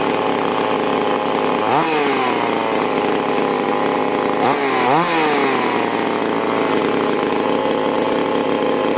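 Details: Chainsaw (5002/5018 type) after tuning the carburetor H and L screws: it screams at high revs, dips briefly twice while cutting wood, and recovers quickly. Healthy chainsaw running under cutting load.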